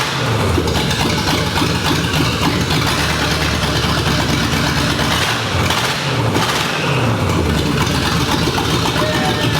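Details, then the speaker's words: 1965 Ford Mustang, GT40 V8 with rebuilt Toploader, after correcting backwards distributor/plug wires: fires and settles into steady even lope with light blips; running clean, idling perfectly, starts first try. "the car is running great i did a little heat cycle while uh the camera was off it's running great it's idling perfect and starts up first try"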